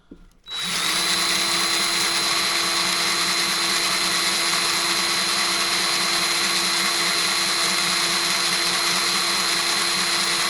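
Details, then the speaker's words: Harbor Freight Bauer 20V electric grease gun on first use. Constant high, airy whine stays unchanged and unloaded, not picking up any grease; the pump is running dry rather than making a cycling sound. "It doesn't sound like it's grabbing any. And you'll be able to tell once you start using a grease gun, especially these electric ones."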